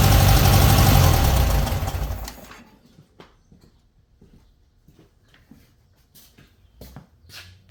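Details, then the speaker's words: 1968 VW Beetle after a tune-up: an even, smooth air-cooled idle for a couple of seconds before shutdown, no miss or rattle, running fine. "But altogether, you know, got a pretty good run of beetle right now."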